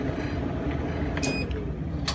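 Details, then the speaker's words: Amana gas clothes dryer, after work on the squeaking tensioner pulley, belt on, run briefly with gas off: low, even drum rumble, no squeal or thump, a couple of light clicks; normal drum rotation. "oh there the drum is turning everything seems to be nice and quiet"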